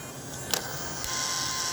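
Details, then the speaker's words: 3D-printed cooling fan in a model train tender, running at 3 V for 10 minutes with the temperature holding at 76°C (120°C without the fan): faint, steady high whir with no rattle or wobble. Fan works normally. "so I'm going to turn this off now you can hear the fan a little bit"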